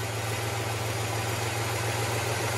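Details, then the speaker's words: 1967 Impala carbureted V8 idling with a low, even rumble while brake cleaner is sprayed on the bottom gasket. The idle holds steady, so there is no leak there; the leak is at the gasket above the riser. "nothing's gonna happen so that bottom gasket fine"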